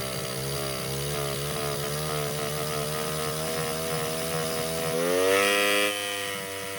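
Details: Baja 49cc mini bike, neglected auction bike with rebuilt carburetor: screams at a steady high rev and never drops back to idle despite throttle screw fully unscrewed. Owner suspects air intake; cause unconfirmed.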